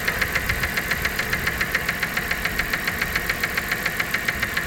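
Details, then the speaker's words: 1997 Dodge Caravan LE after replacing the rod and main bearings, reportedly running on only five cylinders: a crisp, even tick about 3.5 times a second over a steady idle, coming from the top end and possibly a lifter. Valvetrain ticking. "that sounds like that sounds like top end now look good does now I swear it didn't sound like that before though"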